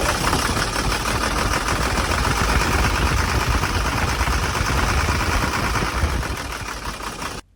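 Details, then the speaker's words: Hino J08C diesel truck engine, stranded roadside and not starting on low compression after suspected overheating; oil added via intake to get it going. It runs with a heavy, rough rumble and uneven thudding, then is shut off for heavy blow-by, back compression and changed engine note; piston damage suspected. "को हमने बंद कर दिया है क्योंकि बहुत ज़्यादा engine blow मार रहा था, बहुत ज़्यादा बैक कंप्रेशन था और इंजन की आवाज़ भी चेंज हो गई थी।"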